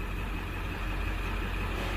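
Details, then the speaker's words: 1999 Ford F-250 7.3 Power Stroke diesel after repairs, running about 10 minutes, IPR low, injection pressure 540-550: steady, even low rumble with no knocks, misses or hunting; idles smoothly and sounds healthy. "all right so now our ipr is real low which is good our injection pressure is 540 to 550. it's looking good"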